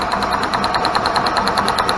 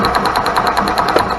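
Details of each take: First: Club Car gas golf cart after replacing the failed RPM limiter box: steady cranking about three turns a second with even ticks, spinning freely, spark confirmed, before plug reconnected for a run. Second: Club Car gas golf cart that turned over but wouldn't start: rapid even ticking about ten a second with a sharp crackle from a spark tester as the pedal is pressed; spark returns once the faulty RPM limiter box wire is disconnected, coil was fine.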